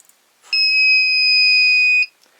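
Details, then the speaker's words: Lyman Gen 6 powder dispenser/scale: one loud shrill steady beep about 1.5 seconds in a quiet room when it finishes throwing a 10-grain charge; charge-complete buzzer, annoyingly loud, carries through the house. "And that, I can tell you, gets to be really annoying after a while. And it carries quite a distance. I'm pretty sure you can hear that thing all over the house when it goes off."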